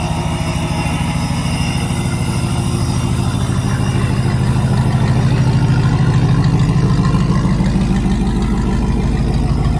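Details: Supercharged Hemi V8 in a Mega Cab truck idling at cold start after plugs were re-gapped tighter for a multiple-cylinder misfire. Brief high idle, then a low, even, calm burble with no misses or ticks. Normal cold-start idle.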